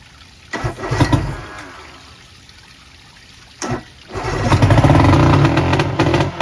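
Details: 1990 Johnson 130 hp outboard, once seized and sitting about 10 years, coughs then fires into a loud, deep, uneven surging roar. Its fuel pump isn't pumping, the float bowls are empty, tank fuel is low and fuel is leaking.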